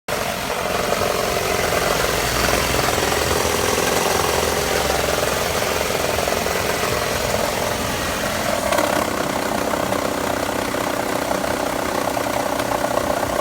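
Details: 2000 Toyota RAV4, about 130,000 miles: engine idles with a light, uneven metallic rattle-tick, roughly three or four taps a second; source of the rattle, tick or knock not pinned down.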